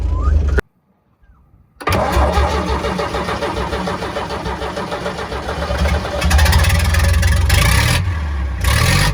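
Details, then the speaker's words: Converted double-decker bus, warm diesel restarted after original starter motor was repaired: brief whirr, short gap, steady cranking catches quickly into even idle; starter engages and disengages cleanly, plunging and returning better than before. "That is good. It starts beautifully. It's probably starting a little bit better as well, if anything, and you can definitely hear it returning on listening to it."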